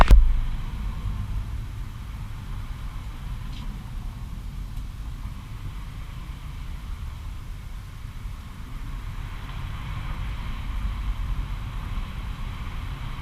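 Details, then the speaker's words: Newly bought gas outboard for a jon boat, test start: fires immediately and settles into a steady, even low drone with no misses or knocks. It starts easily every time and runs healthy. "what it does fire up every time right away. Like, it doesn't take much to get it running, which is pretty cool."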